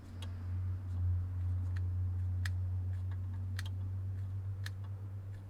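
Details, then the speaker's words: Right-hand-drive Land Rover Discovery 1 junkyard truck, immobiliser and alarm not bypassed: key turned, faint light ticks twice a second over a low hum from down on the left, no starter or pump; immobiliser relay clicking, blocking fuel pump, ignition and starter. "If I click this, all I can hear is a very slight little click down in the left."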